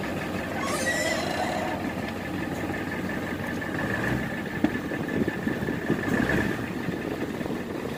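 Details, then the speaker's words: 1994.5–1998 Ford F-250 7.3 diesel after replacing the ICP sensor that caused a rough, slightly surging idle: steady, even idle with no surging or hunting; starts easier and idle no longer rough. "It sounds much better, easier starting, and the idle isn't rough anymore."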